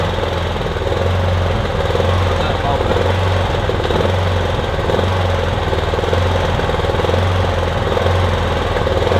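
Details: Kipor Sinemaster IG2600 digital inverter generator, just over 2 kW, stored in a garage for years, running on choke after spray was put in; steady drone with a slightly uneven, wavering beat; rough running, owner hopes it smooths out as it warms.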